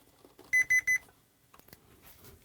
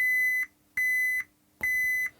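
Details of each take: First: Gibson G101 combo organ, tracing a fault in a wiring loom: continuity tester on a snipped lead gives three quick sharp beeps, showing that wire shorted to chassis. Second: Gibson G101 combo organ under repair, multimeter on a key contact wire: three steady high continuity beeps as the key is pressed and released, showing the contact closes against the bus bars properly; normal key switch continuity.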